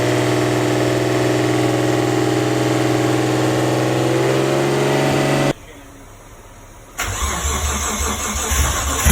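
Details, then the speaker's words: Rebuilt RB25 with forged internals, first start after rebuild, battery low; loud fast idle right after start whose pitch keeps climbing instead of settling, then shuts off; cause not yet determined. "it was idling really high and then it just got even higher as it was idling"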